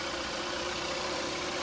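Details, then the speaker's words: Kia Rio (2012–2017) 1.6L freshly installed engine idling without revving until the cooling fan cycles twice, warming up: even, settled idle with steady hum, no knocks or misses; healthy. "What you want to do is let it idle. Don't rev it, let it idle until the fan comes on and off twice."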